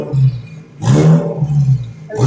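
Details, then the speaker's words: 2002 WRX with EJ20Y 2.0 L on ethanol, GTX3076R turbo, Link G4X, revving hard near 7,000 rpm under boost: harsh hiss and rasp on each pull from a nasty exhaust leak, sounding pre-turbo. "It does have nasty exhaust leak though. Holy [ __ ] Sounds like a pre-turbo leak."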